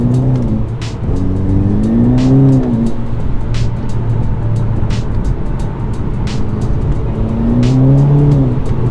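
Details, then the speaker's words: 2008 VW Golf GTI Edition 30 Mk5, manual, just over 90,000 miles, before Audi TT RS clutch upgrade: engine revs flare and climb under load without matching pull, pitch swinging up and down; clutch slipping badly. "I'm not quite sure how well that comes off on camera but as you can hopefully hear the clutch is slipping in this car and it is slipping quite badly"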